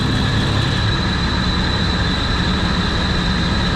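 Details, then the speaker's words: Commercial kitchen centrifugal exhaust fan on ABB VFD running at 80.7%: loud steady droning roar with constant high tone from a loose fan cover with missing screws, quieting when pressed by hand; loose fan cover vibration. "And then we have a larger VFD, as you can see, with a larger exhaust system. This thing is ridiculous. As soon as I put my hand on here, it quiets down."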